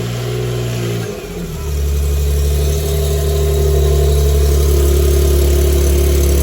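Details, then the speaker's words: G37S with aftermarket exhaust test pipes after replacing the cheap leaking gaskets with OEM gaskets and retightening the bolts. At startup it settles into a steady, smooth, low idle with no ticking or puffing from the manifold. Normal running exhaust after the repair. "now we're gonna turn it on and make sure we don't have anything this is the startup right"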